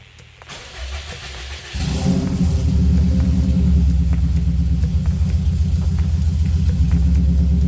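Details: Subaru Baja after the fuel pump assembly was reinstalled with a new OEM-style seal and primed: the starter cranks briefly, then the engine catches and settles into a steady, even idle with no misses or knocks.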